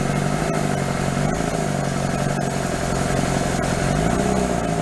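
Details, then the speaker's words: Toyota 3B 3.4 L naturally aspirated diesel from a 1981 BJ60 Land Cruiser, started after sitting six or seven years, with air bubbles still in the fuel; it catches and holds a loud, busy, rough-edged steady idle without stumbling. Normal idle. "she started up feed her a few more there's still some air bubbles in here obviously but she's gonna go just like that these three bees never fail"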